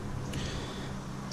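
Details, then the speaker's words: Buick Grand National steering before a Jeep steering shaft upgrade: light, sharp clicks as the wheel turns about a quarter turn with no tire movement; the steering rag joint is worn out. "to a quarter turn before the tire even moves you can actually hear it clicking that means that that rag don't just shot"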